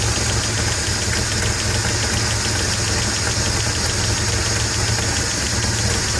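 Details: Mitsubishi Stealth twin turbo at idle: fast even light ticking with a crisp high clatter over a steady idle; owner suspects lifter tick, not confirmed.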